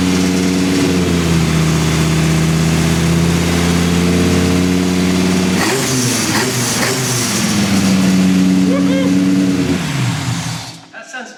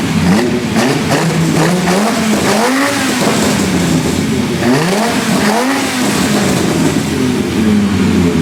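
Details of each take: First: V10-swapped BMW E46 M3 with individual throttle bodies, at first start after exhaust manifold leaks were fixed: zingy, stumbly revs and idle with an uneven beat of about four pulses a second; throttle-body airflow very out of balance. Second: V10-swapped BMW E46 M3 after fixing exhaust manifold leaks at the heads and checking sparks: revs climb and fall cleanly with a strong, mostly even note and only a faint remaining miss.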